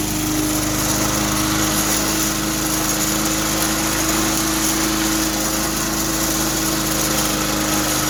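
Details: 2004 Cub Cadet Cyclocut mower, Kawasaki 179cc ~5.5hp engine, cold start after one bulb prime, part of air shroud replaced with homemade soda-bottle piece; steady even buzz, no misses, surges or knocks; normal running.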